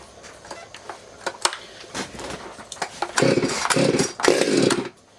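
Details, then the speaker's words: Stihl MS200T chainsaw after rebuild (stripped bolt holes fixed, years of wear): a few cranking pulls, then it catches and revs cleanly in two strong even bursts. Normal start and run. "See, she starts nice. You guys wouldn't think there was a thing wrong with that."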